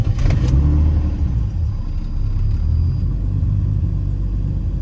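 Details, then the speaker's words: Turbo BMW M50 E30 after loading a new config with acceleration enrichment and adding idle fuel: low, even rumble holding steady without hunting or stumbling, clean settled idle; owner says it's still lean. "Oh, that idle is sounded really clean. There we go. I added a little more fuel down to the idle and she's happy again."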